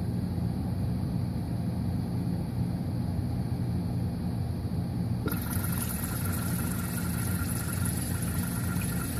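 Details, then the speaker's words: Modular ice maker (Whirlpool/Kenmore/Maytag/Frigidaire type) cycle test via jumpered test ports after ice drops: low rumble, then steady hiss of water starts filling behind rear shield and keeps flowing; water fill working normally. "now we ought to hear the water come on we won't be able to see it because it's behind that shield in the back"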